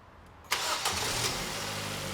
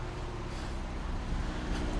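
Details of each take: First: 2002 Ford Focus 1.4 petrol with P0304 cylinder 4 misfire and P0420 catalyst codes, after repair: quick crank, catches cleanly and settles into a smooth, even idle with no stumble or miss; normal idle after start. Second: 2002 Ford Focus 1.4 petrol with codes P0304 (cylinder 4 misfire) and P0420, revved: lumpy, uneven low rumble stumbling as revs rise, blue-white smoke and bad smell; misfire from a faulty spark plug.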